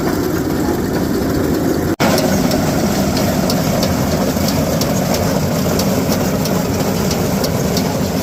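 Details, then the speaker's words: New Holland 479 haybine after greasing: steady mechanical drone with regular sharp ticking; owner attributes most noise to missing wobble box bearings, operation smoother with new grease. "So, I'd say the majority of that noise is, you know, the fact that I'm missing the actual bearings themselves, which sucks, but that's all still fixable."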